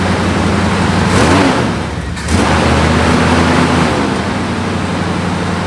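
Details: El Camino V8 restarted after fluids were topped off, before a 3-hour drive; catches and settles into a steady, even low rumble at idle with smooth regular beat; healthy idle.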